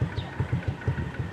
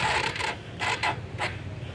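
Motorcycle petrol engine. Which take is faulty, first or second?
first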